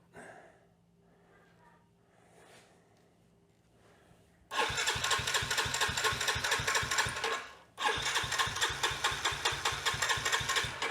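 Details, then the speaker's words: Yamaha TT-R110 of unknown year, being revived, with choke on, fuel on reserve and fuel level unchecked: steady chugging crank at about two beats a second that stops and resumes, never starting; the carburetor is suspected to need going through. "i suspect we're going to need to go through the carburetor on this thing as well so we'll add that to the list of things to do"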